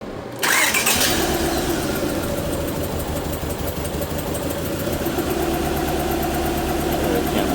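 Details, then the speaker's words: Car bought via Facebook, no coolant mixing or blow-by found; engine cranks, catches and settles into an uneven, shaky lumpy idle during a cylinder contribution test; misfire from a burnt exhaust valve. "Let's figure out what cylinder it is. Oh, looking for cylinder contribution. See how that changed idle."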